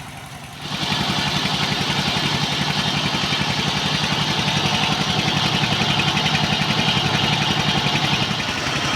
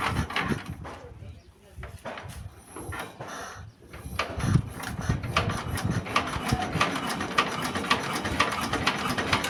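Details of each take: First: Single-cylinder S-1115 diesel driving a rice mill, symptoms thick black smoke, high fuel use, radiator overheating: slow heavy thudding beat about 220 per minute, labouring under too-strong mill load though throttle not high. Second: S-1115 single-cylinder rice-mill diesel after rebuild with new piston, test run before warm-up; steady thump with light even clatter, nothing knocking, healthy idle.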